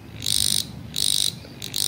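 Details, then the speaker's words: Homemade mini mains-frequency cable detector, being checked near a cable: three shrill buzzing bursts about half a second each with gaps; it sounds when it senses electrical frequency on a live cable. "Kalau ada frekuensi listrik dia bunyi teman-teman."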